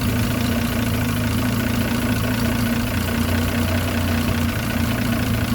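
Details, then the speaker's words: Land Rover Series 3 109 2.6 at idle: low, steady, quiet tick-over with even beat and no knocks or ticks; healthy engine, though idle still needs work and dwell angle reads incorrectly; normal idle. "you know you've got a very good engine"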